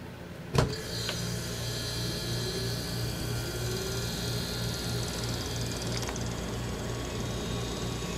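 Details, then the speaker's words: Refrigerator compressor after replacing the failed starting relay: a sharp click, then it starts straight away into a smooth, steady low hum with no stalling, running normally. "And it just fires right on up. And you can hear it's running quite smoothly."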